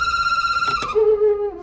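A shrill, steady whistle that drops abruptly to a lower squeal as the fan settles: a squealing heater blower motor, cause unknown.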